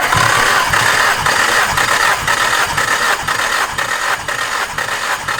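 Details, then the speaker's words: Car compression test, plugs out, everything unplugged; even cranking about two beats per second, reading 150 psi on this cylinder after 100 on the first; normal cranking. "That was a lot, but this one's at 150. That's perfect."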